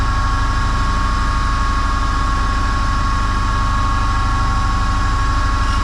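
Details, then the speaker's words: Land Rover Series One 1600cc engine rebuild, valve refacing: steady motor drone with a smooth even grind all the way around, after a distorted valve had been grinding on one side; the valve face is now corrected. "and that's it that's grinding all the way around now so that's uh corrected that valow"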